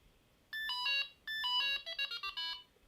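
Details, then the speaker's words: Delkim carp fishing bite alarm being reset to factory settings by holding push button one after power-on two and three beeps: two long high tone bursts, then a quick run of shorter beeps; factory reset confirmation tones. "hold it down does that that's turned off now and now that is reset back to factory settings"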